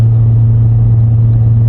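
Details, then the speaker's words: Higher-mileage car with double overhead cam engine, driven 40 mph in second gear (aiming 2,000–3,000 rpm) to clean fuel injectors and intake valves after timing work: deep, steady even drone, no knocks or misses; pulling cleanly. "We don't have to break the law to do the test because even though we're only going 40, you can hear the engine spinning good."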